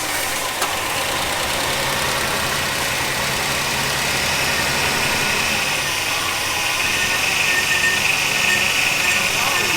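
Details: 1971 Ford F100 V8 barn find after long storage, float bowl primed with fuel: old engine catches and keeps running, steady rough idle with lifter tick under fan and exhaust noise; normal running after first start.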